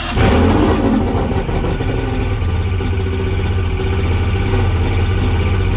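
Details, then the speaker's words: Mercury Saltwater Series 150 two-stroke outboard, first start after last season, after finding and fixing a cracked carb hose that caused bogging at 2000–3200 rpm: fires quickly, revs briefly, then settles into a steady, even idle with no bogging; normal start and idle. "now I'm going to start it up and see what's going on man this is first start after the last season"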